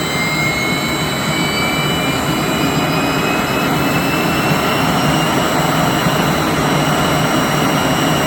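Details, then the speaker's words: 3-phase 7.5 HP (5.5 kW) regenerative ring blower vacuum pump on a 10 HP VFD, after debris was cleaned out: loud steady rushing whoosh with a constant high whine, smooth with no knocks or grinding; running normally. "oh actually that sounds a lot better now yeah I think we're good that is acceptable"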